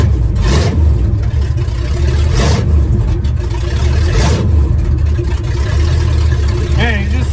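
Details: Truck started after fitting better fan belts; strong, even low rumble that swells smoothly through a few throttle blips and settles back: engine running healthy and steady.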